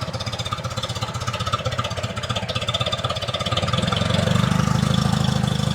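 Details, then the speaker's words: 1978 Lada Niva engine, unstarted for two years, finally firing with low battery power; uneven, lumpy beat of about three pulses a second that firms up slightly with throttle; still rough because the ignition timing is off. "That's more like it. The timing is still a bit off."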